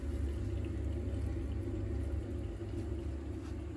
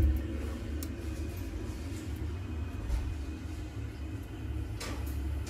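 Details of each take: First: Boiler refilled to about 1 bar with central heating on: a steady low rumble with a soft watery whoosh and the pump audibly spinning, firing cleanly with no kettling. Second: Worcester 28 CDI boiler with no heating or hot water: a deep, steady rumbling boil with faint knocks and no sound of water flowing. This is kettling because the heat can't escape, a circulation fault from the pump not spinning.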